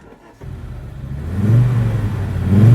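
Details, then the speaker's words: 1986 Audi quattro, 2.1-litre five-cylinder, standard apart from stainless steel exhaust, started and blipped in neutral with 5-speed gearbox: deep, smooth exhaust note rising cleanly, no knocks or rattles; sounds good, healthy engine. "yeah, it does sound good actually, yeah."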